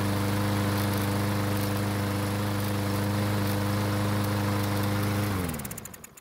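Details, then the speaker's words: Lawn mower that won't start after storage without fuel stabilizer, primed with fuel from a bottle: starts slowly, then runs at a lumpy, uneven idle before dying away; stumbling start blamed on stale fuel. "so it started but it took off rather slowly but once it got going it stayed running without any help from me"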